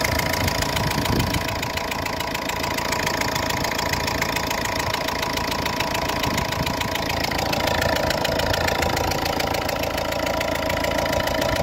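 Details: Ford Fiesta Mk6 1.4 litre diesel at idle: regular puffing chuff in time with firing, about three per second, from a compression-leaking fuel injector with a compromised copper seal.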